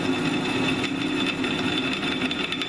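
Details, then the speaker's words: Drilling an annealed (softened) steel clip: a steady, even whir with a constant high cutting hiss and no popping or chatter, cutting faster with less pressure than the hardened piece. "cutting a lot faster I'm applying a lot less pressure"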